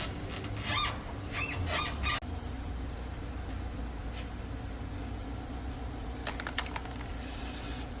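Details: Squeaking rear suspension: a quick run of four or five sharp, high creaky squeaks, then quiet hiss; cause not identified.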